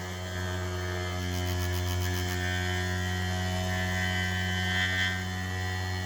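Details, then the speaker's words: 3D-printed maglev rotor after the coil was pulled back and the rotor settled centered on the back plate (earlier reaching 7000 RPM): a steady, clean low hum instead of the previous rattle, spinning smoothly. "so let me fire it up and now it's really nice it makes that nice hum not that rattle"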